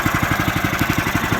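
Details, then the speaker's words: Harbor Freight sawmill small single-cylinder engine just started cold on the first pull, choke coming off: steady, even putt-putt at about fifteen firings a second, no misses or knocks; normal idle. "And then we'll crank it and see what happens. Not too bad. First pull, get the choke"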